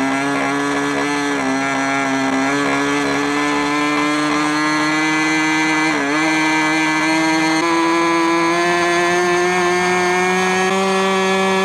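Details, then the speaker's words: Soviet Raduga R10R 10 cc model glow engine being run in on a large propeller: steady high-pitched scream, smooth and even; piston now moves smoothly with no grinding, after earlier crunching on rich mixture. "Поршень плавно начал ходить,нет скрежетания."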